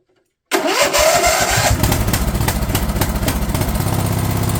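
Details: Craftsman LT1000 riding mower/tractor, fed gas of uncertain freshness, fires up quickly and settles into a steady, even single-cylinder putter with no misses or knocks; running cleanly after the fuel solenoid was found cut off.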